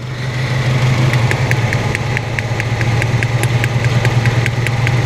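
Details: 1997 Honda Civic EX D16Y8 VTEC running on three cylinders: lumpy, uneven idle with sharp ticking about three times a second from spark arcing at a loose plug lead on misfiring cylinder 2; new plugs, wires tested good.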